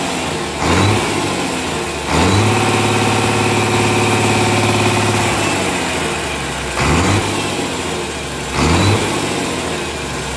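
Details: Komatsu S6D125 six-cylinder diesel test-run after general overhaul: deep, steady beat with a couple of clean throttle blips, no knocks or misses; normal running.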